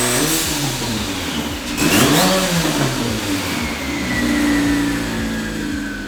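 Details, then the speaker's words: Turbo engine after boost leak fixed, before break-in: revs up and down with smooth even note and clean turbo whistle, no hiss or stumble; healthy. "the engine is happy and it sounds like we are finally ready to fill this thing up with fuel and begin the break-in process."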